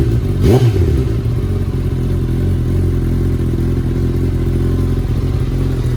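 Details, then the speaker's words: 2019 Suzuki Katana 1000 indoors with an M4 muffler, restrictor baffle removed: a quick crank, a clean catch, then a deep, loud, steady burble at idle. The engine is healthy, just a louder exhaust note. "But the most important thing now is to hear the sound without the restrictor baffle in. So here we go again."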